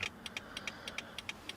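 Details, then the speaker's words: 2004 Toyota Corolla after LED front turn-signal bulbs installed: quick paired ticks about three per second heard inside the cab, hyperflash because the flasher reads a burned-out bulb; fix is an LED flasher or load equalizer. "turn signal is on you can see it's hyper flashing inside the car as well and if you listen real close you can hear the tick tick tick"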